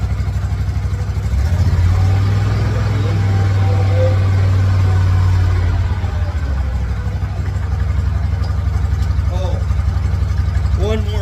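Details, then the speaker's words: Walker T25i mower engine restarted after an oil change, parking brake on, oil light no longer coming on: low, even putter at steady speed with no knocks, rattles or hunting; normal idle. "We're going to start it. Oil light did not come on this time."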